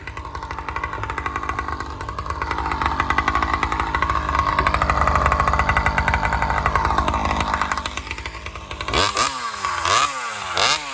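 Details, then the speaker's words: Alcohol-fuelled chainsaw cutting after a fuel line swap, camera set further back to watch the exhaust pipe. A raspy, uneven note sags through the cut, then revs freely out of the wood; bogging under load, with the owner suspecting lean fuel starvation on the high-speed circuit. "And I have a feeling the saw is running lean as it goes in the cut, like it's starving for fuel."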